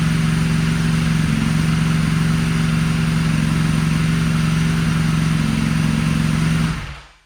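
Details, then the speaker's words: Salvage Ducati Panigale V4 S, first start since auction after throttle wiring fix, error message showing: steady, even V4 idle with firm low burble, no knocking, slight smoke from old oil burning off; normal idle. "this thing sounds good we got a little bit of smoke though uh I think some of the old oil and stuff that's on the motor is burning off this thing runs guys"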